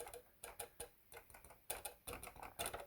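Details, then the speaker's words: Casio CTK-3500 keyboard: sharp uneven plastic clicks when keys are pressed even slightly, from keys striking their internal contact buttons. "i don't know if yours does but mine is like if i touch this only slightly it does like click"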